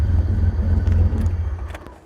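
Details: BMW E34 535i 5-speed, started intermittently: deep, loud, uneven idle rumble with no exhaust fitted, then dies away at shutoff; runs rough but half decent, and the fan clutch or water pump looks close to failing.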